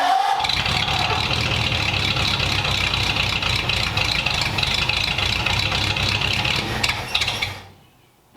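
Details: 1929 Ford Roadster Pickup, formerly straight-piped, after a new full exhaust with small glass-pack mufflers running out the back: catches and settles into a steady, even idle with a muted exhaust note, no misfires, much quieter than before; normal idle.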